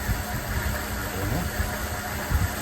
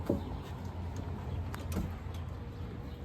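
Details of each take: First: 1979 Lincoln Continental Mark V, first start after installing pushrods and lifters: uneven lumpy idle with irregular low thumps, missing badly and smoking heavily. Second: 1979 Lincoln Continental Mark V V8 after new spark plugs and plug wires, idle adjustment and a vacuum leak fix: catches quickly after a short crank, then settles to a smooth even idle on all eight cylinders; owner suspects a water pump issue.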